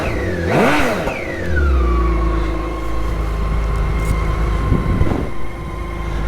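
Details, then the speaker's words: BMW K1600 GTL six-cylinder motorcycle just after its 50,000-mile major service. Smooth rev that climbs, then settles into an even, steady hum with no stumble or judder: running and sounding beautiful. "so she's just had a 50 000 mile service she's in good nick she's running and sounding beautiful again"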